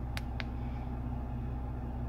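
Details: 2017 Hyundai, about 147,000 miles, engine shaking at idle with code P0300: low slightly uneven rumble with sharp clicks; misfire followed a swapped ignition coil between cylinders, confirming the faulty coil; all four coils replaced.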